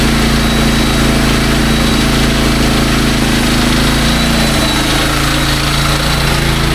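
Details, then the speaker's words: SDMO 5000W generator, Briggs & Stratton engine (about 18 hp), after repair, load test with a 6 hp vacuum and 1500 W heater (expected 15–20 A); steady even drone, firm low hum, no misses or surging; normal running under load. "Now, the load I'm going to be putting on this is a lot bigger. We have a 6 horsepower vacuum and a 1500 watt heater."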